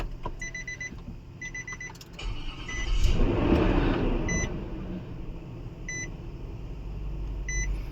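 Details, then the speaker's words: Infiniti V8 after long-crank no-start with code P0345 (bank 2 camshaft sensor), loose sensor tightened, code cleared: short crank, quick clean catch, steady even idle; normal start after repair. "अब देखो अभी स्टार्टिंग बहुत स्मूथ हो गया अल्हम्दुलिल्लाह।"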